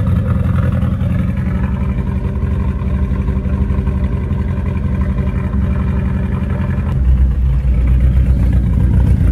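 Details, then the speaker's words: VW Mk1 Rabbit rebuilt engine after re-torquing bearing caps (cheap torque wrench blamed for not turning): steady, even low rumble, slight rev rise near the end, no knocking; normal running. "okay this is just amazing do I still trust it no but it's running"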